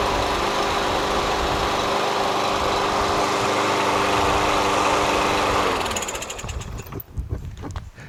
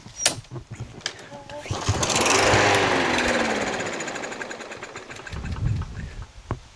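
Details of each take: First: Curbside Yard Machines MTD push mower with Briggs 550EX Ready Start auto-choke engine, which surged and ran rough before; after carburetor cleaning and a substitute spring, it runs smooth and steady at even speed, then shuts down cleanly; healthy. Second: Yard Machines MTD push mower, Briggs 550EX auto-choke, before carb cleaning and after mowing a whole lawn: pull-start cranks swell and fade without catching. Very little gas remains; a dirty carburetor is suspected.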